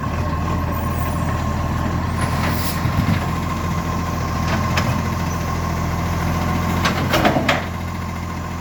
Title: 45 with an exhaust leak